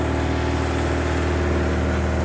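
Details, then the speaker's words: 1986 Suzuki Katana four-cylinder, unstarted for 31 years, after correcting swapped plug leads (firing order was wrong): even, unbroken hum at steady idle with no misfires, running rich but smoothly on all four cylinders. "that's running 10 times better now let's get it charging not B Boos Link in description just listen to how smoothly this thing"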